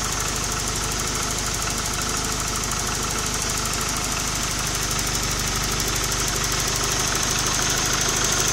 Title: bruit moteur